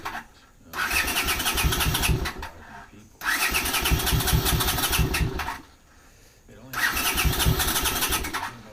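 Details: 1980 Honda CX500 after resealing the front engine cover gasket with RTV and refilling oil; owner hopes there is enough gas in the float bowls. Three cranking bursts of about two seconds each, engine never catches. Slow to start, cause unconfirmed.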